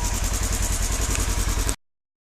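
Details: 2016 Polaris Ranger 900 XP that was sunk in water, after draining water and diesel fuel flushes, running toward operating temperature with cheap 5W-20 oil: steady, even idle, regular low pulses about seven per second, no knocking or misses.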